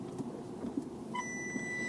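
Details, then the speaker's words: Mini in reverse, parking sensor test. A short chirp then a steady high beep as the system wakes. One sensor makes no clicking noise; the fault may be the sensor or the cabling, still to be investigated. "got the beep if you can hear that if the mic picks up the clicking sound this one doesn't make a noise and this one does make a noise"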